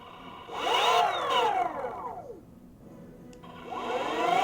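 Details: Boosted Board Mini X electric skateboard with the belts removed: the motor gives a warbling whine that sweeps up and down with speed. An abnormal motor noise of unknown cause.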